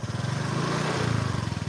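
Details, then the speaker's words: Honda Vario scooter engine revving after a spray-only service with engine run: uneven, rough beat with extra clatter on throttle, pointing to worn cylinder bore, piston rings and leaking valves. "tapi ada suara yang tidak wajar yang tidak banyak dipahami para awam pemilik juga kadang kurang memperhatikan bahwa ini adalah suara suara yang abnormal"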